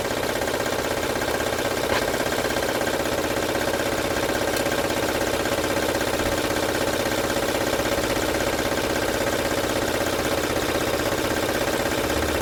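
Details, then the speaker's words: 2006 Honda Odyssey at idle, no stored codes: regular light rattle about 160 a minute over the idle, source still being traced; timing belt suspected. Engine rattle. "como ven pueden Escuchar el ruido es fuerte vamos a ver de dónde está viendo LED"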